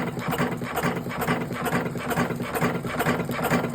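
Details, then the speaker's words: Electric cigarette rolling machine set for 47 cartons per hour, in final tests before delivery; quiet, even clatter about twice a second, no knocks or grinding; running normally. "Evet arkadaşlar benim sesimden makinenin sesini kıyaslayınız benim sesimden makinenin sesini"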